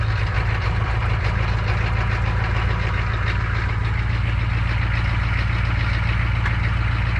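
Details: 1985 M1008 with Detroit Diesel 6.2 V8, first cold start in snow after sitting a week: deep diesel clatter with an uneven, lumpy beat that never settles; rough cold idle.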